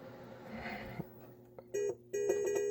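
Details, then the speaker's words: Williams Funhouse pinball in switch test: wiggling a wire behind the speaker panel makes switch 51, a dummy opto, register intermittently, heard as short beep bursts near 400 Hz; bent wires suspected as the fault in the multiple-switches-not-working issue. "hear that wiggling this wire is making stuff happen so that might be an indication right there"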